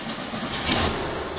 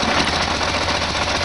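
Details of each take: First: 1973 VW Super Beetle air-cooled flat-four with dual carbs, after the air filter clank fix: brief even hum with no clinking or clanking; normal idle. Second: 1973 VW Super Beetle air-cooled flat-four with dual carburetors, just reassembled with new pump diaphragms and gasket kit, being balanced: busy, slightly lumpy idle with loose pulsing rhythm; uneven idle from carburettor imbalance.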